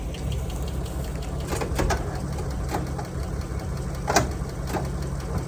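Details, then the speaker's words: 149 engine (not original) in a classic Holden-era car, idling on a battery charger after a flat battery: steady low idle with light regular ticking; normal tappet noise, valves adjusted. "That one sounds fine. It's always had that tap it tap. I've been told a million times it just needs to tap. It's adjusted."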